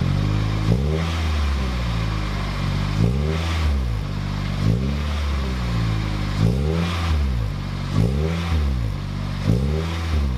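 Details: 2007 Toyota Corolla LE, cold engine, TRD sport muffler (PTR0302061) just installed: deep smooth exhaust rumble rising and falling with repeated short throttle blips; healthy engine.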